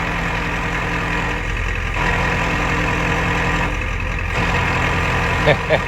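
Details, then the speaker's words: Diesel truck with a newly installed ZF5 manual transmission, which drives fine: at idle there is a loud, loose, gravelly rattle like bolts in a wood chipper that eases briefly when the clutch is pressed. This is severe gear rollover rattle. "Just sounds like you got a bunch of bolts and a wood chipper and you're just letting her eat. So I'll let you guys experience the worst gear rollover noise ever."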